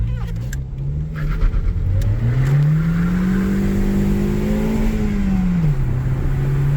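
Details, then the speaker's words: 2007 Saturn Ion, 5-speed manual with clutch issues and a check engine light on, under full-throttle acceleration on a test drive: engine note climbs smoothly and strongly, drops cleanly at the upshift, no knocks or misses; good power for a light car, normal acceleration. "Yeah, it's got power. Yeah, it'll get down for a light little car. That's not bad at all."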